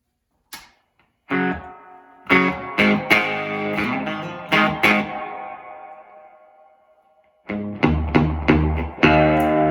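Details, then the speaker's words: 1980 Music Man 212 Sixty-Amp, all original, played with a Strat, volume 3 and master 3: guitar chords break into fizzy, harsh distortion with no loud clean headroom; owner believes it needs a service (capacitors to be checked). "I'm getting lots of kind of fizzy notes. So I'll do that. I'll show you what that sounds like."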